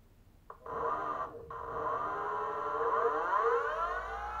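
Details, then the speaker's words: BLDC 6384 140kv motor on e-bike controller with phase-six wiring set for reverse rotation: clean whine rising smoothly on startup, no grinding or stutter; smooth normal run, checked at full throttle amps. "all right system on rotation as you can see it's reversed from right here nice and smooth startup"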